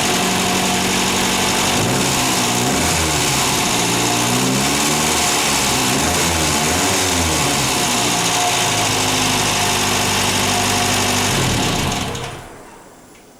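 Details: Ford Fiesta MK1 after alternator bearing replacement (it squealed when running): steady, even idle with no squeal or chirp from the alternator, charging at 13.24 V with lights on; bearing problem solved, normal idle.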